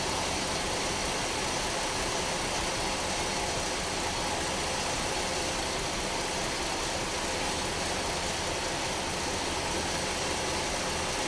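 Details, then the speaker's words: 2010 Dodge Nitro 4.2 L idling with a steady hiss over an uneven beat; cylinder 4 misfire codes (also multi-cylinder misfire, bank 2 catalyst efficiency), cylinder at 79% compression, likely number 4; possibly cylinder washdown, not yet confirmed. "Now we can see that the one of the cylinders has low compression, is 79%. Assuming that's of course number 4 that has a misfire on it."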